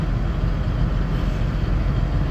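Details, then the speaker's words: Hyster H360 big truck common-rail diesel after replacing the fuel pressure sensor and accelerator pedal sensor and calibrating the throttle: deep, even diesel rumble at idle, no misses, knocks or hunting; idles smoothly, no code. "okay I don't know if you can hear the engine or not [Music] smooth"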